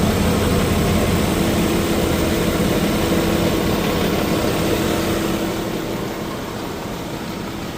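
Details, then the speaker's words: 2026 Ram Cummins diesel, quasi cold start on 5W-40 oil (Valvoline Premium Blue) after a cooler spell: even, steady diesel clatter at idle that smooths and quiets within seconds, no knocks or ticks; healthy cold start. "So as you can see there, guys, we didn't have any sound."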